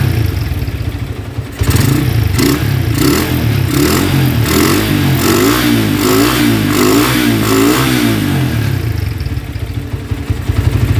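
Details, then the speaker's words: Honda Tiger single that smokes when cold and lacks power, just started after washing: rough revving with a fast rattling "kemlitik" clatter and clicking at the cylinder head, rising with rpm. It sounds like a scratched or slapping piston but is caused by loose rocker arms. "dan bisa kita dengarkan bahwa tadi di bagian kop sini itu terjadi bunyi kasar kemlitik dan ada bunyi terklik seperti itu"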